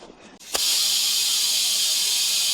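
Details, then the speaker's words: Tractor tire being reseated on the rim with a ratchet strap and air compressor: a sharp pop then continuous unchanging loud hiss, air escaping likely past the bead, no pressure holding; strap needs tightening. Air leak hiss. "I can't tell if it's leaking or not. I think it is."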